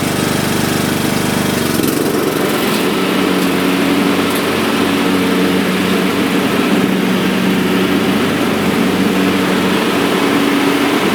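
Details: Troy-Bilt/MTD/Cub Cadet riding mower after deck repair and new belt 754-04060: small engine runs smooth and even at steady speed with deck spinning, no knocks, slips or misses; healthy.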